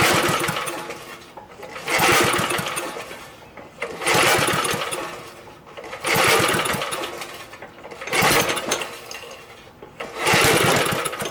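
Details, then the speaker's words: Free, previously seized Briggs & Stratton small engine after freeing a jammed coil: rough surging bursts about every two seconds with popping backfires; flywheel key found sheared, timing out; carb and tank still need cleaning. "I think with it backfiring we need to take the cover back off and check the flywheel and see if it got out of time"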